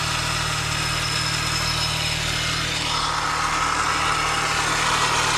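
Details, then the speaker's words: 2003 Mini Cooper S 6-speed at salvage auction, idling: loud busy whirring from front of engine, noisier than it should be; suspected failing pulley or valvetrain, not confirmed. "sound a little loud up here though don't you i don't know what do you think that is it sounds like we got a pulley or something going out maybe valve train"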